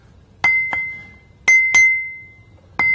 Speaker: You can clearly hear the ring when we tap this wheel, so it doesn't look like it has a crack.